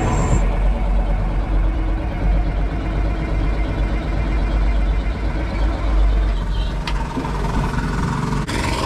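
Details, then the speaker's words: Caterpillar 3406C diesel with mechanical injection pump cranking after fuel system work, injector line nuts loosened for bleeding: steady heavy starter drone, engine turns over slowly but never fires; air in the fuel system prevents starting. "slow engine speed when you're cranking an engine over is what can make this so frustrating"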